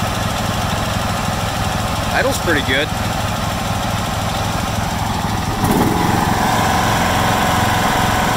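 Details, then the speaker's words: 1996 John Deere LX176 lawn tractor with Kawasaki engine, first start after sitting several years on old gas, 9-year-old battery on jumper: at wide-open throttle it holds an even, steady drone with no surging or sputtering and runs cleanly. "That's wide open right there. It's not surging or sputtering, so I'm pretty impressed."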